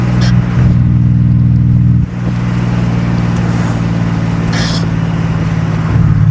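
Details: Nissan 300ZX Z32 (VG30DE), refabricated H-pipe exhaust, after TPS reset and ECU swap: steady even low exhaust drone that dips briefly and settles back with no misses or popping; engine running smoothly, much better than before.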